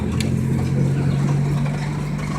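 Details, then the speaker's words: Nissan KA24DET four-cylinder petrol idling with a deep rough hum and dull knock from bad rod bearings, after pulls to 120 in 4th gear when the throttle cable came off and the engine stalled. "I drove it to work, and this is what happens. Yep. Bearings went out"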